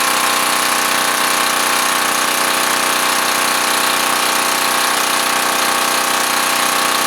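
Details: Curbside freebie small generator, near-new inside, just started on choke: steady even buzz at constant speed, no misses, knocks or surging; normal running.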